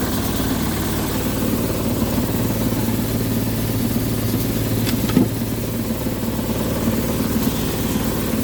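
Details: Attic indoor HVAC unit on no-cooling call: steady low hum with rough, uneven throb as destroyed blower assembly vibrates excessively, causing intermittent low control voltage; blower needs replacing.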